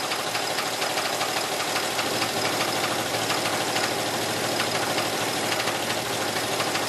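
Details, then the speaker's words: 1980 Oldsmobile Cutlass engine, started after sitting almost 2 years, ignition sticky: uneven metallic knocking about two or three a second over a rattly idle; owners suspect a rod knock, hoped it was just a lifter. "all right do you think it's a rod it might be"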